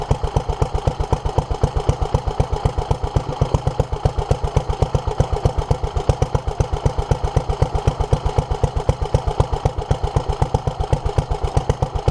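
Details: 1947 Petter A2 single-cylinder stationary engine, first run after its Zenith 24T2 carburettor was stripped, ultrasonically cleaned and fuel pipes replaced; even, steady beat around two firings a second, no misses or hunting; still leaking underneath; healthy running.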